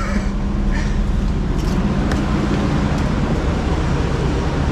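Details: Nissan Gloria Y32 sedan project car, fresh oil change, first start after reassembly: low, even idle with steady soft rumble, no knocks or ticks; normal idle.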